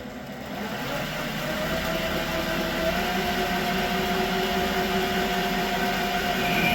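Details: Creworks 8x16 lathe cutting after the carriage play adjustment: a steady, even motor drone with a faint constant tone and no knocking or chatter. It runs smooth and more rigid than before.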